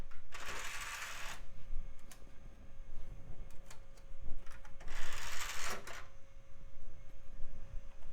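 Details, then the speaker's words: Mid-2000s budget PC optical drive trying to boot and read a CD-R: repeated disc spin-up whirs with seeking-head clicks between them, the drive struggling and failing to read the disc. "I heard it engage doesn't seem like it tried the cdrom boot but it also sounds like it's struggling it may not be capable of reading cdrs"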